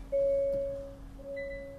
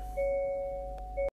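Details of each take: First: 2023 Hyundai Santa Fe started and put in reverse; two clear chimes over low cabin hum signal a rear parking sensor error or blockage, checked by listening with a stethoscope for each sensor's ticking; sensor to be replaced. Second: Rear parking sensors on a 2023 (23-plate) Hyundai Santa Fe after sensor replacement, reversing slowly toward a parked car: steady mid-pitched chime breaking and resuming as it closes in; centre and both sides all triggering normally.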